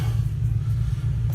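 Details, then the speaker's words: 1966 Chevy C60 semi truck that sat for decades, first start after new points: deep steady V8 rumble, no knock or miss; oil pressure good, 30 psi air built, normal idle. "so it will run oil pressure is good everything's good and it's not it's not knocking it's not making any noise everything's running on it looks good sounds good"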